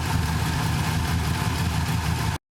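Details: 5.7 Gen III V8 in a VX Commodore, idling after an oil leak repair with the gearbox refitted: a deep, even burble at a steady idle with no knocks, ticks or misses. Normal idle.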